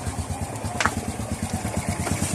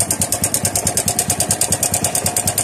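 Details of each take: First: Honda RS 125 after timing chain tensioner replacement, idling: steady even putter with no top-end ticking; the earlier engine tick is gone. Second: Honda RS 125 single-cylinder motorcycle idling with a sudden sharp, rapid metallic ticking that keeps pace with the engine; a suspected failed timing chain tensioner, with a loose valve also considered as a possible cause.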